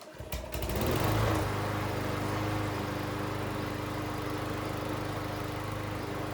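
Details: Troy-Bilt self-propelled lawn mower, fully serviced after barn storage, carburetor refuelled: starts and settles into steady even running with no misses; self-propel drive tested with wheels spinning, tension good.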